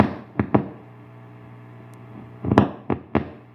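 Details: Bugera 6260 tube guitar amp making sharp irregular pops over a steady low hum, starting the first time it was played hard.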